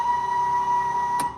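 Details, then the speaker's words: Bucket truck emergency let-down hydraulic pump with new oil, switch bypassed and ignition on: steady high electric whine, then a click and wind-down; the pump motor is running normally. "you hear the pump turn on so when I get finished with this with the truck running and you turn on this switch here the pump will not turn on"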